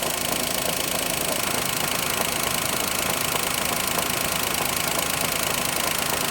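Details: Daihatsu Mira engine at steady idle: a fast, fairly even knock about four per second over bright, busy engine noise; engine knock, cause not pinned down.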